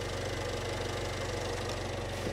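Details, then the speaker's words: 46,000-mile salvage-auction car, cold start: fast automatic idle drops, then the six settles into an even, steady low hum with no misses or knocks; healthy normal idle. "sounds I'll take that that sounds like 46,000 mile car don't it yeah that's good let's let that automatic idle turn off"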